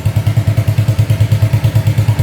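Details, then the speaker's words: 1985 Honda ATC200S three-wheeler, just started with the choke off: loud, deep, blatting pulses, about eight a second, unmuffled at idle; the exhaust pipe is rusted out and leaking. "can hear the pipe really loud. It just kind of rusted out."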